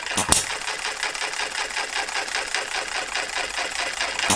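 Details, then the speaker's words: Model Farm Boy hit-and-miss engine (Jerry Howell design), first run after Viton O-ring fitted, governor cycling about 570–650 rpm: quick, crisp ticking, steady, no missed beats or rattles. Running cleanly; owner thinks governor spring could be slightly lighter. "hey happy with that that could could probably do with them slightly um less heavier spring it's certainly running well"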